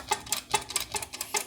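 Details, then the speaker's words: Chevy Cruze worn dual mass flywheel, removed and rocked by hand, gives sharp metallic clacks about five a second as its halves touch, the source of the crazy clutch-area noise; the throwout bearing was also noisy. "That actual noise you're hearing is just the flywheel touching."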